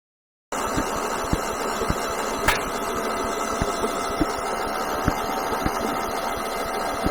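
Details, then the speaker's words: Kohler 15 hp engine on a Husqvarna lawn tractor, cranking on car-charged battery: quick, steady cranking with sharp pops about every half second, fire out of the intake, no start; suspected broken valve or valve timing out, not confirmed. "okay we're getting fire out of the intake so i think we've got a broken valve either out of time broken valve"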